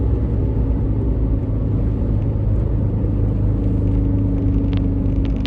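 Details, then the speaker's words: 2012 Suzuki SX4 AWD CVT on road at about 70: steady low droning rumble tracking road speed, not engine, unchanged in neutral, seemingly from the rear; seized propeller shaft U-joint. "70, not too bad, but I can hear something. Maybe a drive shaft? Doesn't sound like a wheel bearing."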